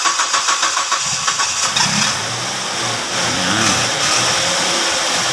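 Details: Ford Escape with low power and hard start, fuel pump to be replaced: long cranking with steady whirring beats before it catches, then a rough hunting idle. Hard start, fuel delivery suspected.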